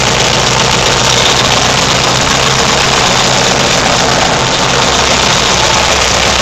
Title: Turbocharged/fuel injected XS650 It runs!